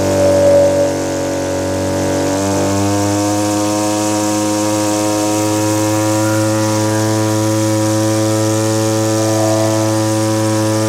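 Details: Small two-stroke (Stihl BG50 blower or Echo powerhead trimmer) after new fuel lines, ethanol-fuel water contamination: steady buzzy high idle with uneven burbly edge, smoking too much; carburetor set too rich (four-stroking), to be leaned out.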